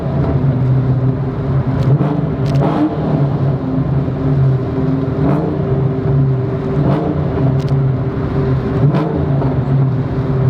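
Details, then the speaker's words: SVT Terminator Cobra V8 at idle after aftermarket header install with catback exhaust; deep, steady, even burble, clean idle; owner thinks stock-manifold exhaust leak fooled primary O2 sensors, causing the earlier odd idle. "Listen to that clean idle though. What I think was happening is that we were having an exhaust leak with the stock manifolds, and the O2 sensors, the primary O2 sensors were picking it up, causing me to have like a a very different idle."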